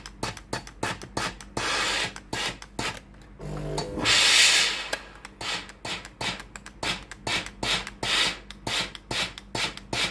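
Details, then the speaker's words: Tefal GV8461M0/23 steam iron, repaired for no steam and red blinking water-refill light: quick uneven ticking from the small water pump, then a short hissing burst of steam; steaming normally. "ตัวนี้ไอ้น้ำออกเลยนะครับ"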